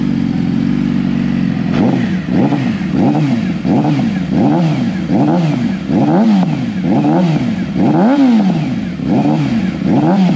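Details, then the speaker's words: Stock, warmed-up 2014 Yamaha R6 before an ECU flash and dyno tune. Repeated throttle blips from idle, each rev rising sluggishly and hanging before dropping. The air-fuel ratio is believed to be very lean, causing the hesitation. "air fuel ratio I had to take a guess is crazy crazy lean so you can hear the hesitation in the throttle"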